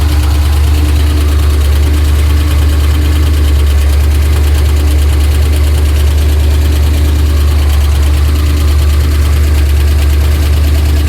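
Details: Trans Am at idle, oil pressure erratic: heavy low rumble with uneven deep knocking about two beats a second, heard all around the engine; earlier tick turned deeper, owner suspects crank, bottom-end cause unknown.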